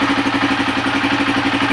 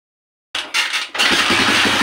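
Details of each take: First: Honda TMX155 single-cylinder with CDI after repair of backfiring and hard starting, wires rerouted away from the speedometer bracket: quick, even idle pulses, no misses or pops; normal idle. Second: Honda TMX155 CDI motorcycle that is hard to start despite all parts reportedly being replaced: after cranking it catches and runs ragged, sputtering, backfiring and stumbling before dying.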